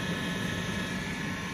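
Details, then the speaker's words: Hoover Dynamic Next DX condenser tumble dryer after reconnecting the heater element (error code had shown it disconnected); steady, even whooshing hum with no knocks, scrapes or squeals; drum turning normally. "so hit start button and as you can hear there go up to spinning it's working again"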